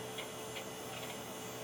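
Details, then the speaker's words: Pentium Pro PC hard drive at power-up: steady low hum with a few soft clunks and ticks as the drive spins up; clunking is normal, though video output is missing. "That clunking noise is normal for that."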